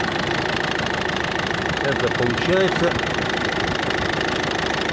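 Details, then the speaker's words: Ford Focus 2 1.6 diesel, newly developed knock: steady idle with sharp tapping about three per second, now clearly heard from above though not at first; owner suspects pulley or tensioner roller, unconfirmed. Engine knock. "сверху уже чётко слышно поначалу не слышно было поначалу"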